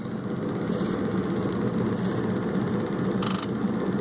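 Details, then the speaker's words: Ford 7.3 Powerstroke diesel with hard start, engine off injector buzz test: only faint, soft buzzes, none crisp (number 4 maybe okay); injectors worn, due for rebuild. "this thing's terrible I don't I don't think I heard one crisp one crisp one in the whole bunch okay all of these things are really bad I mean you can barely hear them"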